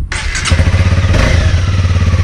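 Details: Honda CB250R, electric-start only, after two years of owner use with the stock factory exhaust: the starter catches and it settles into a steady, even low thump at about twelve pulses a second with no misses. A healthy stock idle.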